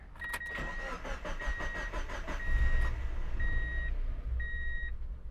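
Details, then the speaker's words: Car with ECU upgrade/engine swap, idle deliberately mistuned with too little idle air; several seconds of cranking, catches briefly then dies at once leaving only dash chimes; keeps running only with throttle. "And it just immediately dies out. If I try it again, it just like, it won't start."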